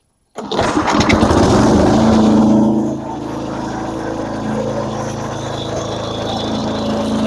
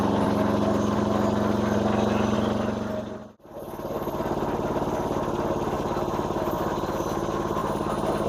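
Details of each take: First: Massey Ferguson MF-7 tractor: small single-cylinder engine runs hard, then drops off and labours as load comes on; owner says it runs well until the mower blades are engaged, then bogs toward stalling; cause unknown. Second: Massey Ferguson MF-7 tractor under restoration, running with mower blades not engaged: even, steady running note with a regular beat and no misfires or hunting; normal unloaded running.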